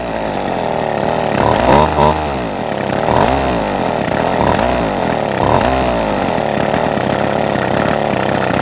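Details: Ryobi SS30 30cc straight-shaft trimmer whose primer bulb wasn't filling with fuel, after fuel lines were reconnected: small two-stroke starts, revs up and down, then holds a steady buzzing run; running properly.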